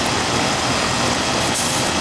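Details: Old Amana R22 AC condenser, seasonal check on a warm day around 70–72°F: system working well; even, steady fan rush and compressor hum with no knocks, rattles or cycling; normal operation.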